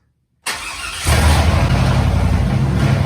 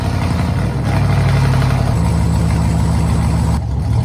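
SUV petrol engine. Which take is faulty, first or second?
second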